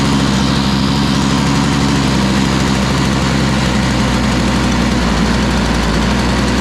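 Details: Toro Powerlite single-stage snow blower, model 381182, 98cc two-stroke, first start before fitting a new primer bulb: loud, buzzy, slightly uneven running while cold. It seems to need warm-up time but isn't running too badly.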